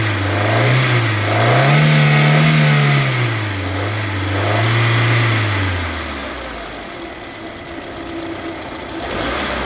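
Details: Citroën C3 engine revved up and down repeatedly, faint knocking on the rev rises between 1500 and 2000 rpm.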